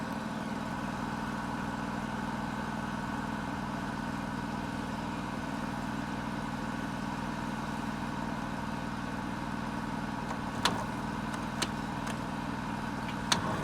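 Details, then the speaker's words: 1978 Chevy Bruin, 8V71 Detroit two-stroke diesel, cab off, first start after fixing no-start issues, no coolant: steady even idle, low drone, no knocks or misses, a few sharp clicks near end; fluid spewing from disconnected power steering line; normal idle. "okay that's much better seeing that little bit of stuff spewing out of where the car steering pump line came off but that's how cool old Detroit stok supposed to sound"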